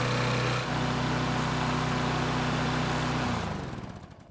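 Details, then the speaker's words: Snapper mower after full overdue maintenance, fitted with a new carburetor: engine runs steady but noticeably fast and busy for a few seconds before shutdown; speed set too high with the new carb, to be adjusted later. "engine seems to be running a bit faster with this new carb, so I'll adjust the speed later on"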